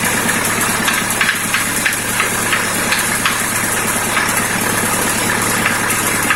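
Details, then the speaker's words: Warm idle of a ZMZ-51432 engine, silent when cold, then about three minutes after start a sharp, uneven tapping at roughly three per second begins; engine knock of unknown origin. "Ну вот прогревается и начинает стучать где-то вот в области здесь вот, то есть"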